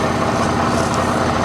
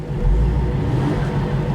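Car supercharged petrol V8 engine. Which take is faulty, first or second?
first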